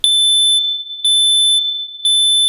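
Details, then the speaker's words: Smoke alarm in a Canadian house tripped by smoke from onions left frying in oil in a kadai while vegetables were chopped: loud high-pitched beeps about once per second, cycling steadily in a quiet room; ceiling unit blinking. "ஒரு பக்கம் அலாரத்தோட beep சத்தம், இன்னொரு பக்கம் என் heart beat சத்தம்."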